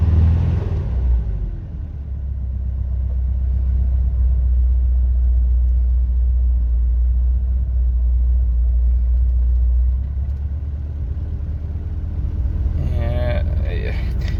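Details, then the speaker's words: 1974 Dolomite Sprint with electronic ignition, cold idle on a hot 25–28°C day with a little choke: deep steady rumble with a faint regular knock; owner suspects bottom end or an engine mount, unconfirmed, and thinks it is worse when warm. "I'm bit worried it's bottomed knock but these things are hard to judge it could be something as simple as a mount knocking or something like that"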